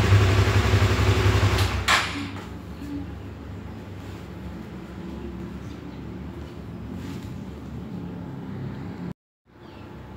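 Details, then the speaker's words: Honda CB150R StreetFire motorcycle electric starter: harsh, rough low grinding for about two seconds on initial cranking before the engine settles to idle; an odd noise sometimes also heard at shutdown, cause unconfirmed. "jadi eh teman-teman tadi kan sudah sempet ngelihat waktu saya starter pakai electric starter ya itu ada bunyi Kok Pokoknya debunya aneh waktu kita starter awal dia debunya aneh"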